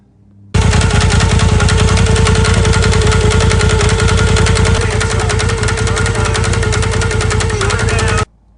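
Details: Polaris turbo at idle, before the fix: hard, rapid clacking three to four times a second from the spider bouncing in the primary clutch due to slop. Wedging a piece of wood in to take up the slop makes the noise go away.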